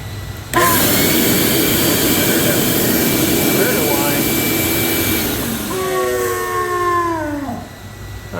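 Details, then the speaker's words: Shop vac after cleaning the fan and housing: roars on with a steady high motor whine over the airflow, then winds down; whine persists so further disassembly needed. "that sound the weird whining sound is going Let's uh give it a shot"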